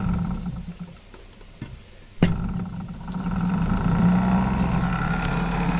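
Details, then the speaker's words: DC motor driving flux gate generator rotor from large car battery, drawing about 6 amps, output not yet connected; sharp start then low heavy hum with slow uneven pulse, motor strained and sluggish, speed poor. "okay it is running now see it running it's consuming 6 m not good as you can see the speed is uh nothing spectacular"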